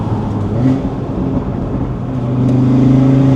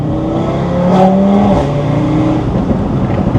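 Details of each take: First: Audi RS3 2.5-liter five-cylinder with a Unitronic tune: the note climbs with the revs and opens into an even, throaty growl at high rpm with no rattles or misses. A normal exhaust note with the engine pulling cleanly. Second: Audi RS3 2.5-litre five-cylinder in Dynamic mode, cold day: gravelly, uneven, boxer-like exhaust drone below about 3500 rpm when cruising or revving slowly, then opens up above 3500; owner thinks cam profile change causes it, not confirmed.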